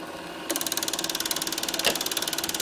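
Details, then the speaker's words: Bell & Howell Filmosonic Super 8 twin-track sound projector, almost 40 years old, made in Japan, running film after automatic threading to take-up reel; quiet hum then fast, even mechanical chatter about twelve clicks a second; normal, healthy running. "and you can see the leader going through and winding up on the Reel and there it is running on the Reel that is a really excellent automatic threading it really is very very good"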